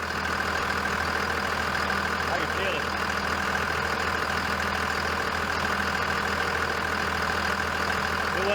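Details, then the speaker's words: 2001 Dodge Ram Cummins diesel, cold, after fan clutch replacement: steady diesel idle under a constant airy fan roar rising with revs, no squeal or rattle; new fan clutch audible when cold. "as i rev it up you can really hear that fan i still think that's kind of backwards you wouldn't shouldn't hear the fan when it's cold"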